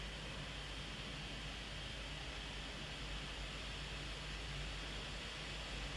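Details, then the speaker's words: Late 2013 15-inch MacBook Pro Retina (Iris Pro / GT 750M) running Geekbench OpenCL test: steady rushing fan hiss with faint hum, fan flat out as the laptop overheats under heavy load. "I just wanted to let you know, guys, when the computer is overloading and you just browse too much websites or do video editing, this computer really overheats and has a lot of fan noise."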